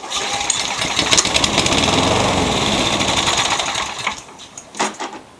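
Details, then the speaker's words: 1999 mower fires only on carb cleaner, races briefly with rough fast patter then sputters and dies; no primer start; big smoke cloud, milky blue gas, owner suspects 2-cycle fuel or worn rings. "That is about all I can get it to do. It starts with carb cleaner only."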